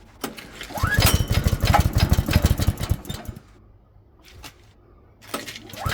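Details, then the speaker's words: Barn-find off-road buggy, small single-cylinder, not run for a while, starting with choke: catches and runs unevenly for a few seconds with a slight centrifugal clutch rattle, considered normal due to loose tolerances. "It just hasn't run for a while, so sounds alright. Slight rattle from the centrifugal clutch, but that's pretty normal. Tolerances aren't the best."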